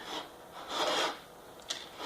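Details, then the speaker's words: Honda ATC110 during restoration, rear wheel turned slowly by hand: a dry scraping rasp on each pass as the brake drum rubs a bent bearing housing cover, almost worn through; brake drum rubbing on bent cover. "you can hear that rubbing in there and what that is is I took this brake drum off again and it's rubbing bad almost rubbed through this cover"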